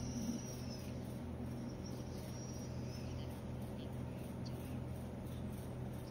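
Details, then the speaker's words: Multirotor motors on a RadioLink Mini Pix controller with AT9S Pro transmitter, after successful ESC calibration: steady low drone and even hum from motors spinning together, no rough or stuttering notes, running normally. "push the joystick and we can see that motors work well now which means esc calibration is successful"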